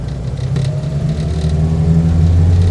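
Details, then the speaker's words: 1954 Austin A30 barn find, laid up since 1971 with stale fuel and a previously seized engine, driving on the road with a lumpy, uneven note; carb needs setting up, possibly blocked or a fuel issue; exhaust manifold blowing. "the carb definitely needs setting up yes all right so you can hear it there it's not it's not lighting it we shouldn't need choke still surely okay we'll see what happens it might be blocked up a bit it might be a fuel issue"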